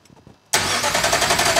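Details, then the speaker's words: Ferrari engine in an Alfa Romeo 105 (Alfarrari) on first start attempt after fixing crank signal wiring: starter cranks with a steady rhythmic churn and a few weak coughs, but it does not catch yet; cranks but won't start. "oh that was making coughs there's nothing around"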